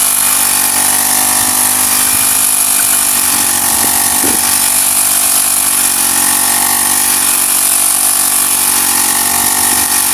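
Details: Honda GX35 grass cutter after cleaning its dirty carburetor; spark plug, fuel filter and clutch were fine: small engine holds a steady high buzz and revs cleanly without misses or surging. Normal running.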